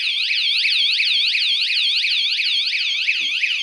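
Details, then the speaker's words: Pebble bike's two hidden 120-decibel vibration alarms, armed, triggered by moving the bike: loud, high, rapidly warbling electronic tone repeating about three times a second without pause; vibration alarm triggered. "So as you can hear, it's quite loud. There, I've disarmed them both because, wow, that's quite annoying."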